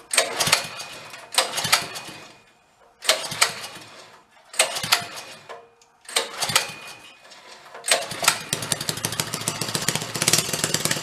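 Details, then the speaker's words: 1965 Chevy Corvair Monza go-kart fitted with a new engine, first start during break-in: short revving barks with pauses, then a sharp, even, rapid exhaust beat; normal running. "that's good for a new engine all right let's go that's got to be good for a new engine break in"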